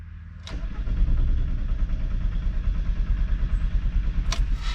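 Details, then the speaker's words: VW wagon that shut off suddenly without sputtering and would not restart; starter cranks steadily at about three beats a second but the engine never catches. "saturday morning i'm sat at the front gate of the june card not because i wanted to stop here but the car she turned off right and i pulled in and now it wouldn't start back up which is odd"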